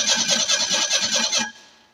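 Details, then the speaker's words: Ford Ranger 2.3L four-cylinder 2WD after years of sitting, new starter and solenoid: starter spins evenly about five compressions a second but never catches, quits after 1.5 s; crank no start, no fuel pressure, possibly out of fuel. "so let's see if it starts I don't think it will it might be out of fuel"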